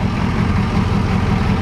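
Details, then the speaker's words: M1009 CUCV military Chevy K5 Blazer diesel, just started after about 25 years sitting, now warming up: a steady, even low diesel rumble with a smooth regular beat and no knocks or misses; a normal, healthy idle. "wow through 25 years hell yeah old girl dude they don't make them like they used to"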